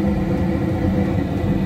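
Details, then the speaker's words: American Standard high-efficiency furnace: the inducer motor now runs with a steady, even rumble and whir and no knocking. It had failed to start because a small pine cone was stuck in it. "so you can see the this is now working before it was not making that noise going to pressurize whatever it needs to pressurize"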